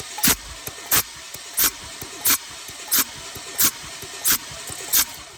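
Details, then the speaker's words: 2006 Kia Sedona 3.8L V6 compression test: sharp hissing puffs about 90 a minute, mist blowing from the adjacent cylinder, head gasket blown between cylinders after a broken heater hose T fitting; no overheat shown. "And, you know, with the compression checker in here, we got this cylinder sealed, and we're blowing mist up out of the adjacent one. So that's telling me that the head gasket is blown between cylinders."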